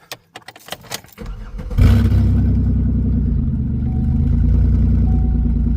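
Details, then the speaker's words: Hearse after fuel pump replacement, fed from a half-gallon gas can and jump-started: keys rattle, engine catches into a very loud, deep booming idle; loud exhaust, flex pipe suspected; wants to die. "So, now we're going to go ahead and connect the connect the jump starter which is the Impala. and start it up even though it's loud as hell."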